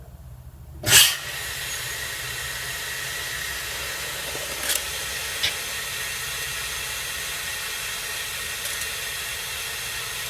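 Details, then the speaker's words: MCI 9 bus air brake system: compressed air leaking with a steady, high hiss after a sharp burst; a brand-new leveling valve leaks from the air line on its back side, and air also escapes from the bottom of the inversion valve. "It's definitely got a leak."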